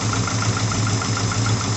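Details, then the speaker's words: Daihatsu Taruna first start after top overhaul for oil-burning white smoke: uneven lumpy idle stumbling about five times a second; one valve clearance set too tight lost compression, misfire cured after readjustment. "jadi penyebab pincang tadi berasal dari sini tempat yang ada satu flatnya terlalu rapat ya Sehingga kompresi Hilang"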